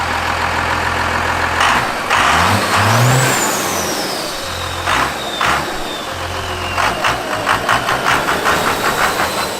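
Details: 12-valve diesel just fitted with a modified fuel plate: idles, then blips up cleanly several times and drops straight back without hanging or running away, smoking little more than before; normal free revving.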